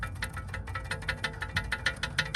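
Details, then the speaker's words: Rover 75 front suspension after spring replacement: light, quick, uneven metallic ticks from an unseated ABS sensor cable knocking against the inside of the wheel, the long-running slight clang, fixed by securing it with cable ties. "Basically, what I think it was is the ABS sensor was clanking against the wheel. So I've had a knocking sound, like a ever so slight clanging from my front suspension for ages now."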